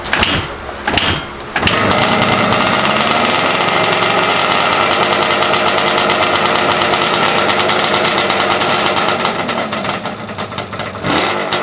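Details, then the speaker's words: Yamaha Banshee 350 two-stroke first start after rebuild with new clutch, water pump and gearbox reseal: brief silence then crisp, even buzz with steady throttle changes, no knocking; engine runs healthy. "oh yeah boys you saw that that's what i like to see right there oh yeah she sounds good this is the first time this bike has been running"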